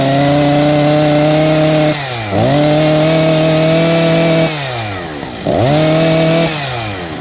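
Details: Husqvarna 262 XP chainsaw after new clutch drive sprocket and bearing fitted and greased; cutting, screams at high revs, bogs into each cut and recovers cleanly twice; normal running under cutting load.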